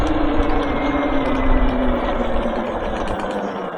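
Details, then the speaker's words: Talaria Sting electric bike, heard while riding: a motor whine winding down with an uneven gritty crunching over it; owner first wondered about the brakes, and a loose, flopping foot fender was found; crunchy noise while riding. "it definitely sounds like if you didn't get an oil change in your car at the right time start hearing metal and stuff in the engine"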